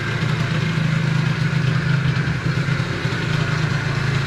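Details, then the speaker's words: 50cc Stunt scooter two-stroke with Stage6 cast kit, Stage6 clutch and variator, and a new plug, idling fast: busy, uneven whirring buzz underneath; owner unsure whether a bearing or the clutch bell (volute) is making it. "on est pas trop mal après j'ai un petit doute si j'entends un bruit de roulement ou si c'est la volute qui fait ce bruit là"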